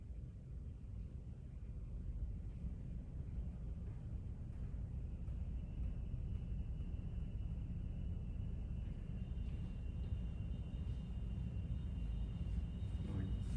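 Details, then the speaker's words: Heat pump tested in heat mode right after installing an Ecobee Premium smart thermostat, heard from near a bathroom window: a low, even rumble builds, then a soft steady whine joins as warm air comes out. It is running normally. "kicked on and you can hear it winding again and I got warm air coming out so that is working"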